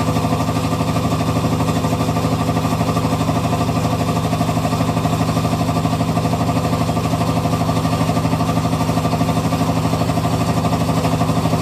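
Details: Hitachi BEAT WASH SLIM washing machine: a steady, fast rattle repeating about three times a second through the cycle; owner thinks the machine is nearing the end of its life, cause unclear.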